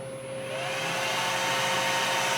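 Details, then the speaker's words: Cooling fans of a discharger kick on as the load ramps up to about 5 amps, drawn through a 6-pin PCIe connector while a DIY PCIe meter is tested. Whoosh and steady whir climb smoothly: normal cooling fan spin-up. "You hear the fans kick on in my discharger over here."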